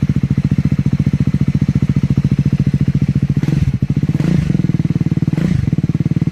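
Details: Triumph Scrambler 400X / Speed 400 on a cold start: cold single-cylinder thumps at a steady idle with a dry clatter on top and a few short blips; abnormal engine noise, cause unclear.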